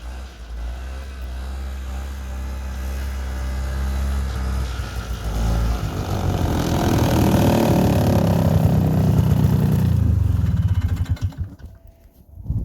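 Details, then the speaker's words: 1976 Yamaha GP300 snowmobile, single-cylinder two-stroke, 45 years old, spare machine little used for several years, running in snow: revs pull up cleanly and drop back smoothly without bogging or sputter; starts readily and runs well. "We haven't really had it out in serious use for several years, but it runs real well. It always starts right up, and it's been a great machine."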